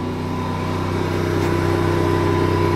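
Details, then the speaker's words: RV generator running at full power after start-up, with the lights flickered and the microwave powered on; steady low engine hum with constant tone and even loudness, no hunting or misses. Normal running under load. "and you'll see the lights on the microwave the things flip on and that's when you know you've got full power to everything based on the generator"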